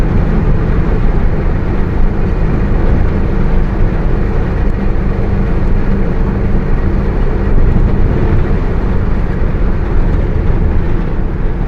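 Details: Bus with Mercedes-Benz OF 1721 BlueTec 5 chassis, Caio Apache Vip IV body, cruising: steady low drone under road rumble with faint constant tone on top; differential howling.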